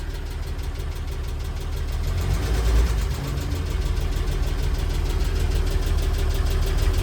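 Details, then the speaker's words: Old International R-170 4x4 petrol truck engine idling slow and deep, down to about 300 rpm, with a light regular tick from one noisy valve. "That's how they're supposed to sound, other than the noisy valve."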